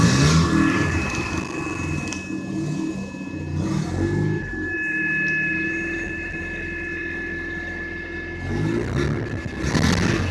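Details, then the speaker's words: 1980 Mazda RX-7 with 12A rotary engine, bought four days earlier: it shook and stalled at a light, idles jittery at low rpm, smoked from underneath or the exhaust, and lags and backfires. Rough, rasping purr rising with throttle, filter cover off; cause unknown. "but all of a sudden it started lagging it started backfiring kinda and it makes a weird noise when i would I step on the gas"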